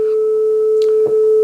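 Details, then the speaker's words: Yamaha KX300U cassette deck after cleaning heads, pinch roller and capstan: steady 440 Hz test tone plays slightly flat at 434 Hz, tape speed running slow; speed adjustment needed. "So I think this sounds a little slow. This is a 440 hertz tone, and when I heard the music there, it sounded a little bit slow. And we are. We're 434 hertz."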